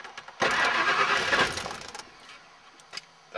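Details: Rebuilt Ford F150, no DTCs, oil pressure fixed, corroded fuel pump +12V wire temporarily repaired. It catches with a rough burst, runs unevenly about a second and a half, then dies. Owner suspects the IAC, TPS or MAF, or a faulty ignition switch.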